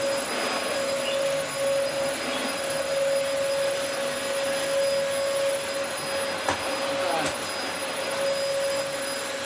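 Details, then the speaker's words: Early-2000s Dyson DC04 special edition vacuum, first run after reassembly: smooth steady motor whine with constant airflow rush, no rattles; runs fine, suction acceptable, filters clean, brush roll not spinning. "That runs absolutely fine. The suction is perfectly acceptable. The filters are very clean."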